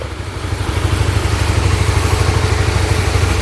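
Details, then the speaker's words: Honda RS150, 21,000 mileage, after overhaul fixing broken piston: starts on one press, crisp even idle about three pulses a second, no knock or rattle; very quiet. "Tarik tadi tekan sekali aje ta terus start tau. Kita dengar kita ram. Fuh, serius senyap, sepi, sunyi, syahdu semua segalanya."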